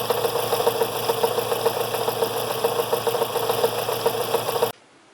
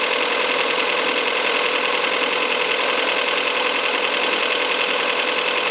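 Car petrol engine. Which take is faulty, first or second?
first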